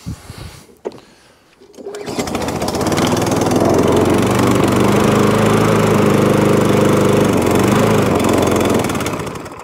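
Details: MTD push mower after service, with air filter packed in. After the pull it catches and drones, then slowly sags and fades, starved of air. Carb clean suspected.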